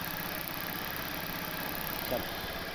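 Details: Honda Vario Techno (Vartech) scooter after refitting the repainted original exhaust, air felt near joint is only the cooling fan: quiet, even idle with soft steady patter and fan hiss, no ticking or exhaust puffing; normal idle, no leak.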